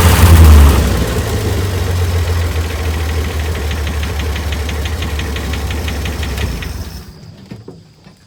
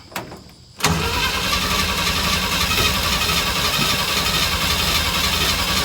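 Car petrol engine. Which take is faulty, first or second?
second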